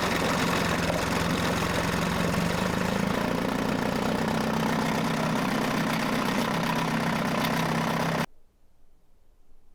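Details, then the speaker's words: Mercury 9.8 hp 110 outboard after clearing a clog in the pilot hole and adjusting idle: an even two-stroke idle pulsing at about four beats a second, smooth and steady until shut off. It is a normal idle. "all right we brought out that uh clog that was in the pee hole adjusted the idle thumb running good now"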